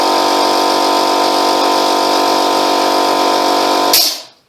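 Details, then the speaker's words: Free Ford air compressor after a gasket replacement: steady motor hum at full pressure, then a sharp hiss as the relief valve lifts and the sound dies away; normal safety valve blow-off. "look at that tell you what that's the first time that that's blown off like that hasn't it in in years that's better"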